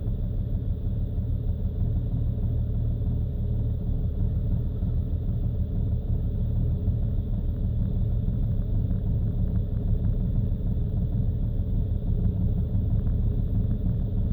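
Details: BMW engine idling cold: low uneven rumble with unsteady beat and stumbling rpm; rough idle and stuttering when cold caused by faulty fuel injectors.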